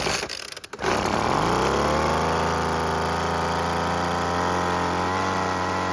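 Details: Weed Eater two-stroke leaf blower after carb installed with gasket, cleaned fuel bulb and air filter replaced: pull start, engine catches and climbs to a steady high buzz that holds evenly; running properly after repair.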